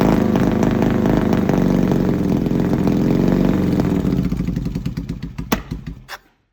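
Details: Yamaha XS650 twin revving with uneven, stumbling exhaust beat and dropped pulses before dying away; misfire, cause not yet pinned down.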